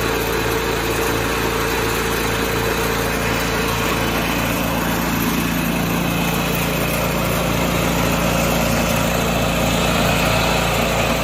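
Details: 1986 John Deere 216 small single-cylinder tractor after carb cleaning and PTO adjustment, leak fixed, driving the driveway: steady, even speed with a light regular pulse and no misses or surging. Normal running.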